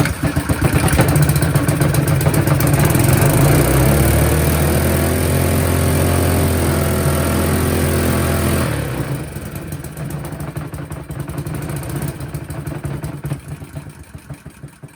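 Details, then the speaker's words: Honda GX160 engine on compactor plate after parts swap: climbs sharply to a high steady howl then dies away; owner suspects throttle linkage or broken governor; engine over-revving. "why did it rev up like that something's wrong with the throttle linkage surely I think the uh Governor's broken in this engine"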